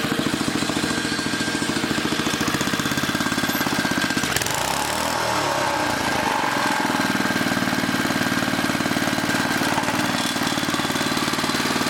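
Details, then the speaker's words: 1980 rototiller, small single-cylinder engine: chugs fast then dips and drags midway before picking back up; speed hunting because a bent, distorted throttle link hangs up. "hold on hold on this link is hanging up that's part of our problem why it keeps going crazy because somebody was in there bending on it got it all distorted"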